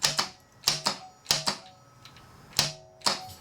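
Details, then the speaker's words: Harley-Davidson Evo Sportster 1200 chopper with freshened engine, no carb fitted: key on, sharp dry clicks in pairs about every half second, engine never turns over; no-crank caused by loose battery terminals, fixed by tightening them. "apparently your battery terminals actually need to be tight in order for that to work"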